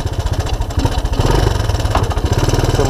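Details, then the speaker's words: 1984 Honda ATC200ES Big Red with no-spark OEM ignition replaced by 12V DC CDI, key-started cold: steady even single-cylinder putt at low idle, deep exhaust beat, no misses or knocks; normal cold idle. "so whether your all-terrain vehicle is 40 days old or 40 years old this is where you want to be you want it to key start"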